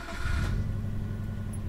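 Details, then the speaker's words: Subaru Legacy Blitzen twin-turbo EJ20 boxer, 5-speed manual, 98,000 km, timing belt recently changed, engine already warm: brief crank catches cleanly into a smooth, steady idle; no warning lamps except low fuel, normal start. "starts up normally no warning lamps in the dashboard except for fuel is almost empty"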